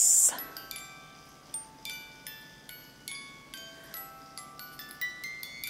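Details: Overwound music box after repair, set in stock position: clear, bright plucked notes ring out one after another at an even pace with no drag or stalling; the box plays properly.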